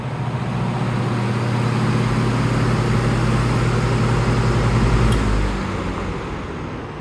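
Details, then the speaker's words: Heavy-duty fan after repair: it now starts very easily, spinning up quickly into a steady, even low hum with no rattle, scrape or labouring, then winding down cleanly; motor running healthy, problem solved. "Watch how nice it starts. Starts very easily now."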